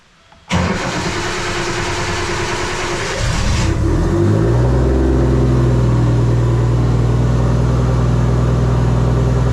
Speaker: it sounds good sounds really good I had hoped it was a little bit more throaty in the sound a little bit more chubby